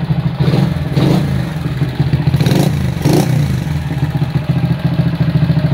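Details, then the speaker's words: 1977 Honda CB100 K3 before teardown, compression still good: noisy, clattery engine whose idle stays high even with the carb idle screw backed out; aluminium manifold fitted to the carb without an ebonite insulator. "Untuk suara mesin agak berisik. Terus untuk karbu idle-nya tidak bisa turun. Ini sudah diputer-puter ke arah luar juga tetap ya, langsamnya tinggi."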